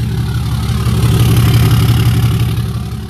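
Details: Salvage-title Cummins diesel Ram 3500 tow rig, first start after rewiring on a hot day over 100 degrees: deep, steady diesel clatter settling into an even idle with no misfire or knock; normal, clean idle.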